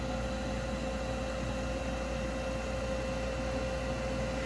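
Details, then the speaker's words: Older gas furnace, thermostat calling for heat: steady inducer motor hum with fixed whine, no ignition or burner whoosh, 3 blinks shown; pressure switch stays open because the exhaust vent is blocked. "okay any second now Ignasi should light up and the partnership turn on but nothing I'm getting three blinks already"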